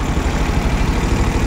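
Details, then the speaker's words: Suzuki Every DA64V with high idle and strong vibration: a low, lumpy, stumbling idle with dropped pulses. The second cylinder still misfires after swapping parts between cylinders 2 and 3 and replacing the injector; cause unconfirmed. "ito pa rin second cylinder pa rin yung mis firing niya"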